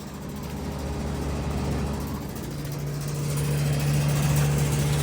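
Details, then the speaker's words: Rattly reciprocating compressor on an outdoor refrigeration unit behind a restaurant: steady low hum with a fast, fairly even rattle about four per second; suction line very cold, liquid line slightly warm; cause unconfirmed. "Yeah, it does sound very rattly. Got her reciprocating compressor."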